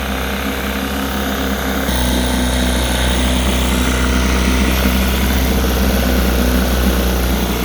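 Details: Rebuilt 1960 Evinrude Fisherman 5.5 hp two-stroke outboard in a test tank after first start and warm-up: steady even low idle burble with a faint rhythmic pulse and slight pickup partway; idling healthily while the idle is dialed in.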